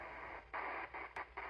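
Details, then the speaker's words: Cobra CB radio, off frequency and sometimes not receiving: hiss cuts in and out in sharp bursts as the receive section board is tapped with a plastic pen; cold solder joint in the receiver, to be resoldered. "I do believe we have ourselves a bad solder joint right here"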